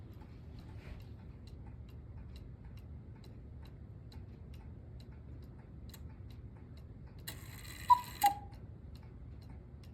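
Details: Antique miniature cuckoo clock, possibly 1940s–50s, brass-plated movement, being restored; crisp steady tick-tock about three beats a second, then a brief chime. Normal ticking.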